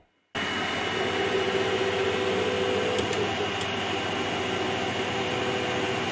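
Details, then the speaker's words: Ender 3/5 3D printer after a 32-bit controller upgrade running Marlin 2.0, homing. Steady fan hiss with only a faint soft motor hum and no grinding, buzzing or stutter: quiet, normal stepper motors. "so i'm just going to do a quick home so you can hear how quiet it is and that'll be it for this"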